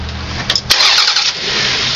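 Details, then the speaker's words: Battery load tester cranking check on an engine of 3.0 L or larger. Brisk, even cranking, then it starts. Voltage dropped from just under 11 V to about 10 V while cranking, within the one-volt limit, so battery and starter are healthy. "See, now as it was cranking, you'll get the little peak, but when it was cranking, I was just at around 10 volts. Okay? So that's within my one volt limit."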